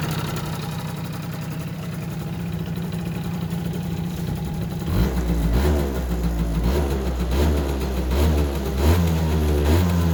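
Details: Yamaha Jog two-stroke scooter, previously wouldn't start after winter, settles into a steady buzzing idle, then picks up cleanly on a few throttle blips; runs fine now.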